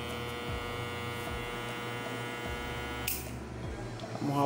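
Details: Hair clipper that turns on and off when its cable is moved: buzzing motor hum for about three seconds, then an abrupt cut-out. A loose internal connector is suspected; intermittent motor cut-out.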